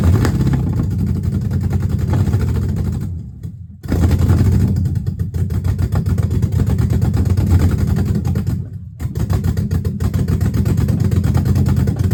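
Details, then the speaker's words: Dodge Magnum with a rebuilt/swapped Hemi V8, exhaust not yet connected, only O2 sensor codes left: loud low engine pulsing unevenly through two revs and drop-offs; runs rough, owner suspects the missing exhaust, unconfirmed. "Better, but it still sounds kind of rough. So it might be because of the exhaust is not connected."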